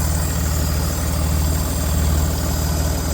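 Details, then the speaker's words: Range Rover Sport L494 at idle: steady low idle with an even whirring hiss from underneath near the catalytic converters, left side; source unknown. "that's where the cats are and the noise sort of like coming from underneath"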